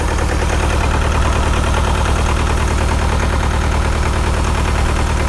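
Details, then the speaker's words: Bobcat T595 Doosan diesel at cold idle, rpm held at idle by cold setting: uneven lumpy beat around three per second, one cylinder misbehaving, heavy white smoke, fuel smell, won't run under hydraulic load; owner suspects injector stuck open. "So that much white smoke does tell me that we have an injector probably stuck open, unfortunately."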